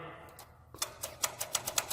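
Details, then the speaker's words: Furnace that wouldn't start, control light showing 3 flashes pointing to the pressure switch; its hose pulled off, blown into and sucked on, giving crisp dry clicks about five a second as the switch snaps; refitting the hose fixed the problem. "blew in and sucked. You can hear it. And then that's all I did is stuck it back on there, and my problem was fixed."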